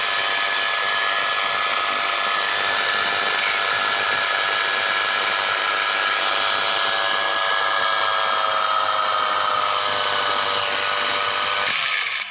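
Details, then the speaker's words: Small universal motor run on 220 V through a salt-water resistance: high steady whine under constant crackling hiss; heavy commutator sparking, after which a broken armature wire was found and rejoined. "दोस्तों यहाँ पे commutator पे बहुत ज़्यादा sparking हो रही है।"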